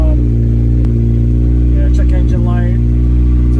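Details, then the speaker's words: 1991 Acura Integra DA9 after OBD0-to-OBD1 conversion: idle jumps around near 2000 rpm with steady drone that won't settle, throttle cable adjustment no help; owner suspects intake air temperature sensor; high unstable idle. "as you can hear this is jumping around right now it's idling almost at 2 000 RPMs"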